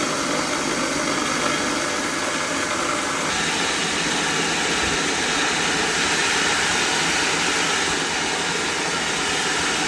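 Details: Small rice mill from Roi Et after repair: mill head replaced, heavy-duty system fitted and motor fixed. Before, it would not mill because the belt would not engage although the motor ran. Test-milling with a steady grain hiss over an even motor drone and no knocking; runs smoothly.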